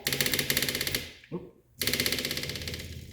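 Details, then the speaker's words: 1976 BMW 2002 with custom fuel tank (about a gallon) and newly installed electric fuel pump: quick, even ticking about four per second, short pause, ticking again; pump priming normally, no fuel leaks found. "okay got everything tightened up so I'm just going to run the fuel pump and uh make sure that there's no leaks"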